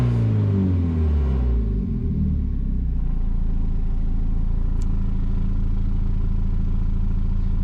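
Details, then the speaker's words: Volvo 940 Turbo on standard Bosch LH4.2 management with a homemade switchable three-stage anti-lag, all switches off (normal road mode): low, even idle rumble with steady firing, no hunting or popping; normal idle. "This is basically no switches, normal road car, you know, normal mode. So acts completely normal, you know, nothing."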